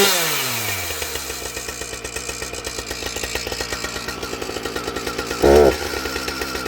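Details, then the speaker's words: Husqvarna 455 Rancher chainsaw, idle then a throttle blip: quick, even two-stroke putter, then a flare with hesitation right off idle; owner suspects carb tuning or air filter, not confirmed. "So, as you can see, we got that little hesitation right off of idle. Everything else sounds pretty good."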